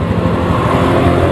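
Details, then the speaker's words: Honda Beat ESP scooter idling steadily during a charging-system check, multimeter on the battery reading 14.2 V at idle, which is normal charging; even putter with no knocks or misses. "Itu masih normal ya, itu masih 14,2 ya saat langsam tuh,"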